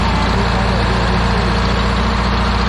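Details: 1977 MCI bus with vintage low-mileage Detroit Diesel and Allison transmission, idling: deep, even low rumble with constant rush of belt-driven blower fans cooling the engine; healthy running.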